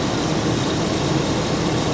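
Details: 2008 Cadillac Escalade V8, warmed up with the cooling system holding pressure and no leaks; low, soft, steady rumble at warm idle with no knocks or ticks; normal warm idle.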